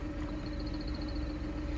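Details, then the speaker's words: Idling: chirping, cricket-like squeal pulsing with the clutch pedal released, vanishing when the pedal is just touched; lubricating the pushrod did not help; worn, dry clutch release bearing, clutch kit replaced. "вот когда мы отпускаем педаль сцепления появляется вот такой диск смотрите только прикасаясь педали из пропадает"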